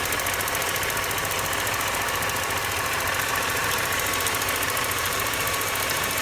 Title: BMW 318ti M42 1.8L engine ticking sound